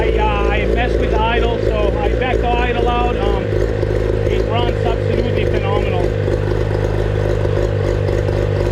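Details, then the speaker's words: 25HP Mercury outboard that sat 4 years, after its fuel-related problem was fixed by cleaning the carburetor and running on fresh gas, with good water flow: a steady, even low drone at idle with no misses or surging, running like factory. "Yeah, we got very good water flow right now. I mean, the engine is running same as it came out of the factory, guys."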